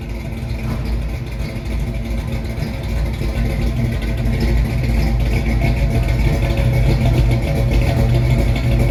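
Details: 1968 Mustang with a new 302 roller engine bored .030 over (306), GT40 heads, Z303 cam and C4 transmission, heard after start-up: a deep, even V8 rumble that builds slightly and settles to a smooth idle with no knocks or ticks. Normal idle.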